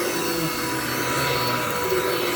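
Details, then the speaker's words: Dirt Devil with automatic, non-adjustable height on a very thick shag rug: steady, strained roar with a dull, loaded note; the motor is labouring and bogging down. "This vacuum hates this rug. Why is that? It's a very thick shank tile rug. And it then doesn't have high adjustment, it's automatic height, and it doesn't like it."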